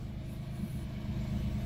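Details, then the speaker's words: Mitsubishi Mirage G4 sedan after fixing a crank-no-start caused by a locked throttle body, with RPM reading normal on the scan monitor. Low, even rumble with no misses, knocks or hunting: normal idle. "So okay na 'yan. Tapos yung monitor natin dito. So RPM normal RPM M"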